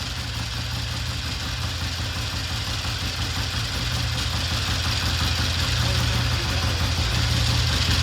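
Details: 1960 Triumph 350cc 3TA twin after valve adjustment (135 compression), restarted with a battery connected: a steady idle firing evenly at about three beats a second with no misses; sounds healthy.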